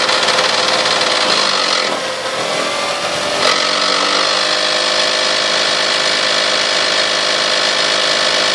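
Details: 1998 Toyota Sienna petrol engine that runs well: harsh, hissy, raspy roar whose tone climbs when revved from 2000 to 4000 rpm. Owner says it sounds strongest from the manifold and beneath. Cause unknown.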